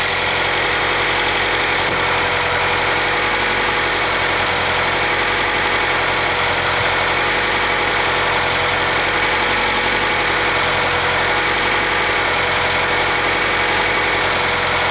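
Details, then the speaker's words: 1996 Acura Integra idling: a steady whirring whine from the transmission side while the clutch is engaged, gone with a slight clutch press; idle fluctuates slightly; owner suspects pilot or throw-out bearing, not confirmed. "this is kind of like whining or whirring the sound but it only happens when the clutch is engaged"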